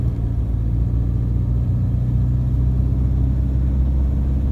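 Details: Toyota Hilux Vigo 3.0 D4D 1KD-FTV diesel road test after injector replacement: pulls steadily 1500 to 2000 rpm with a deep, even rumble and only faint normal injector rattle, much quieter. Normal diesel running.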